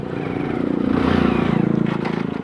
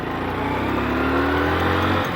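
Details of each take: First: Motorcycle trying to pull away in fourth gear, revved then clutch released; low labouring thud near three or four beats a second that never picks up: engine lugging, geared too high to pull away. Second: Motorcycle that stalls when slowed. The engine note pulls cleanly and evenly as revs climb, with no stumble, miss or knock, so the pickup sounds healthy.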